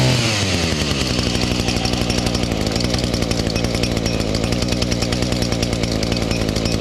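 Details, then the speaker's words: Echo SRM-230 two-stroke trimmer after new carburetor and clean-up: primer bulb barely fills with fuel, yet it starts and settles into a steady, crisp high-pitched buzz, holding revs evenly without stumbling; normal run. "It's just barely got some fuel on there, but it seems to run fine."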